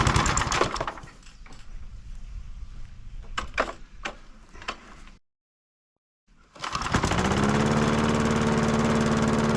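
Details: Old Masport mower, about 35-40 years old, sitting unstarted about six years, fresh oil and fuel added: after a few pulls and a pause it fires and holds a steady, even mower drone; running properly.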